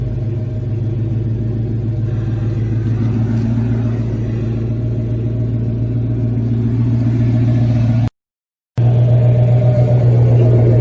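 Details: 350 V8 with a new transmission, alternator and battery and Flowmaster exhausts. A deep, lumpy burble at steady idle with a throaty exhaust note and no tapping or knocking; the engine sounds healthy, normal idle.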